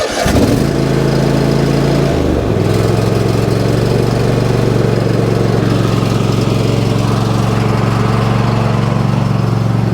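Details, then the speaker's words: Riding mower tractor with half a tank of fuel, started in light rain: it catches and settles into a fast idle with an occasional skipped beat, a light misfire. Earlier it popped badly and almost sounded like knocking, as if one cylinder wasn't firing; cause unknown. "You can hear it missing a little bit. I mean, it sounded It sounded bad before. It almost sounded like it was knocking."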